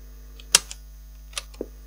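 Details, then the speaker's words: 1970s Crown portable cassette recorder, first power-up on a current limiter, drawing no current: a low steady buzz under a few switch clicks, never changing. It also fast-forwards slowly and won't play; owner suspects a mechanical problem. "we didn't draw any current does it do anything oh okay so it makes a buzzing noise"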